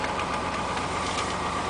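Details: Cold 5.3 V8 in a 2000 Chevrolet Tahoe LS at 131,000 miles idling with a hollow, rapid knock on the engine rhythm, piston slap, louder when colder and gone once warm.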